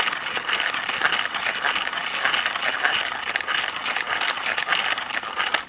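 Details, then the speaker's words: Tudor HF Type 1 clear-shell cassette, believed BASF tape, wound on a hand winder before recording on a Nakamichi Dragon: light, even, papery whir with no catches, squeals or thumps; cassette runs very smoothly. "let's see if the Tor is a nice smooth running cassette even regardless of the fact it's got a clear shell right you see that hear that very very smooth very smooth"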